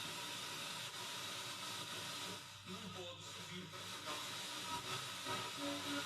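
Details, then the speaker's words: Bang & Olufsen BeoCenter 5000 being restored, tone board refitted, being tuned to FM: heavy steady hiss with a faint station buried underneath; very poor FM reception, though the signal now passes through the board. "Now I'm going to try tune it. No. Got something. That is FM. Very poor reception, but it's FM. Really poor reception,"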